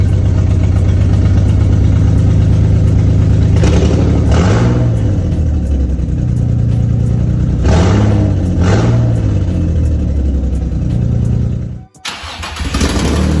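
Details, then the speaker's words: Drift car V6 (Project Seat Time Z) at first start after engine and transmission install: lumpy, uneven idle with a shaky beat and ragged blips when revved. Two ignition coils were wired backwards, so it ran on four of six cylinders. Misfire. "it actually had two ignition coils wired backwards so it was running on four cylinders"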